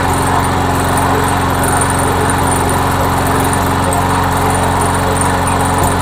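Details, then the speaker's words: MTD Yard Machine mower with a Briggs engine, after a head gasket replacement (it had been smoking and belching oil), primed and running: a steady, even beat with no misses or surging. It runs well. "oh yeah it's running well it's actually running well let's give it a minute"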